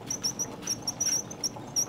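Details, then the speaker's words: HHO burner manifold, tube with six .030" holes: high, thin, intermittent whistle over a soft hiss; whistle warns of too much air, weak flame or flameout. "Now I am getting a whistle here, so that could be a sign of things to come."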